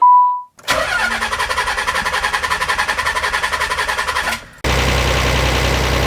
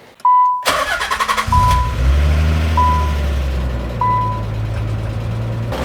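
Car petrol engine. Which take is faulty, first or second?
first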